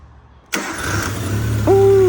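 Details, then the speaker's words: Used 1.3L engine freshly installed in a tintop, first start after being dry with no oil at first and turning stiffly. A short crank, then it fires instantly into a steady, even idle; heavy smoke is expected as it warms. "starts right up that's for sure"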